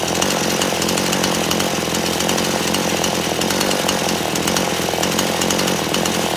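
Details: Chainsaw after carburetor low/high screw adjustment; steady high buzzing two-stroke note holds even with no surging or bogging, running clean and properly tuned.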